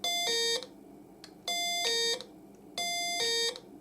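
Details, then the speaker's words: Kit-built 555-timer doorbell at 12 V: a two-tone ding-dong repeating about every 1.3 seconds, each note cut off quickly and fairly quiet. The discharge decay is too short. "Very quick. Let's adjust this potentiometer. It's not very long on the discharge."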